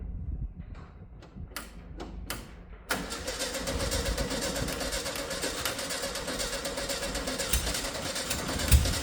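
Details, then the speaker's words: 1971 VW Beetle restoration project, long-stored, first start attempt: a few starter bursts, then it catches and runs roughly for several seconds without settling; nearly starts, fuel suspected not reaching the carburetor. "annoyingly it did nearly start so what I'm doing here is I'm doing something diagnostic"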